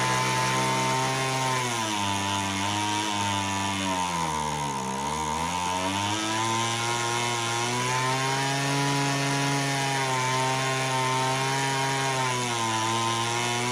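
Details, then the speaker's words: Homelite HT17 two-stroke hedge trimmer after its carb adjustment screws were set 3 turns out: idle sags for a couple of seconds, nearly stalls, then recovers; it won't stay idling and still needs tuning. "Let's try it again. I don't know why it doesn't want to stay idling."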